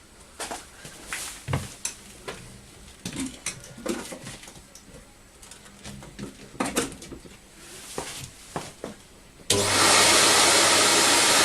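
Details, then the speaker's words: Record Power CamVac CGV286 dust extractor, both motors running with both baffle tubes fitted, exhaust air extracted elsewhere, meter 75 dB; handling thumps then loud steady air rush, high-pitched squeal gone; normal running, no squeal. "so we're down to 75 there and although we still have a high decibel reading the noise has the high pitch squeal from the machine is stopped because I'm extracting the air elsewhere"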